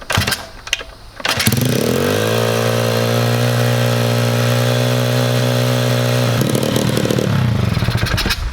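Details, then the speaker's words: 125cc Chinese pit bike, header tightened and idle turned down: loud, fast, steady buzz never dropping to normal idle; idle unaffected by fuel or idle screw, dripping fuel; owner suspects a vacuum leak. High idle. "it sounds insane. The idle is super high. No matter what I do with the fuel or the idle screw, nothing really changes."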